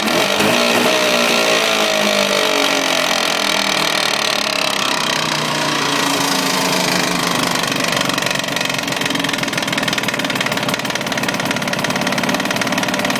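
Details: Jawa 638 two-stroke twin, fully warmed up (quiet when cold; knock first under load, constant after about 5 minutes) despite new cylinders, rings, pin cages: rough, uneven rapping about three knocks a second over the exhaust; cause unknown.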